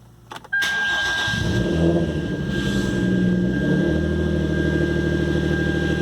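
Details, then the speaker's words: 2013 Hyundai Genesis Coupe 3.8 V6 Track, manual, right after replacing a failed power steering pump: short crank catches, flares once and settles to a steady even idle; the earlier pump whine is gone, so the install worked. "all right so as you can see yeah that one is that uh winding noise is gone from the power steering pump so it looks like it was a successful install"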